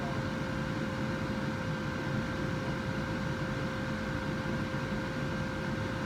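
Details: 2011 Ford Ranger heater blower fan after replacement with new fan, battery reconnected: steady, even whir with constant hum, no rattle or squeal; new blower running normally.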